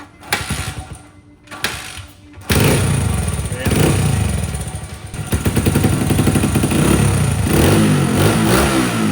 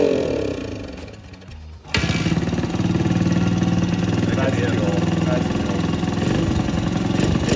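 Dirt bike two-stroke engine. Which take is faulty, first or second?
second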